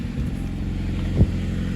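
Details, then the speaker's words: 1990-93 (CB7) Honda Accord four-cylinder after alternator replacement fixed a battery light from undercharging: low, steady idle with even pulse, no squeal or knock; running smoothly. "Everything looks good over here. Sounds like she's running smoothly."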